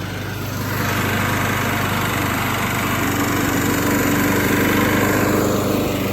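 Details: Free Craftsman lawnmower being refurbished, cosmetically worn but recently cleaned, started up to hear it run: small single-cylinder revs up and holds a steady, even buzz with no stumbles or knocks; engine running healthy.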